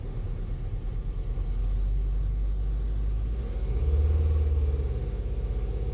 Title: VW Sharan P0303. Cylinder Nr.3. misfire